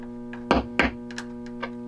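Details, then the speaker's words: Vox AC30/4 valve guitar amp build, powered on with voltages okay, chassis tapped with a wooden chopstick: steady mains hum with two sharp loud pops and softer crackles, an intermittent connection from a joint that seems not to have been soldered at all. "see what's going on already I think if I move this I don't have a good solder connection I don't I don't in fact I don't think as you saw it at all so"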